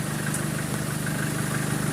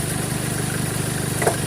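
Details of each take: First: 2013 Chevrolet Colorado after the alternator pulley was replaced, aircon on, revved slightly: even engine hum with slight revs and no tick over it; the earlier ticking is gone, and running is normal. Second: 2013 Chevrolet Colorado at idle with the A/C high side over 200 (should be about 180): a fast, regular light tick keeps time with the engine as the alternator pulley jumps; a worn alternator pulley, later replaced.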